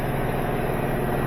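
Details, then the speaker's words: Samsung front-load washer after replacing worn shock absorbers, which caused off-balance and poor water extraction; test run spinning at full speed, water being spun out, steady even hum with no banging or knocking. Normal spin cycle. "Very smooth. Let's see water being spun out right here. Good test run."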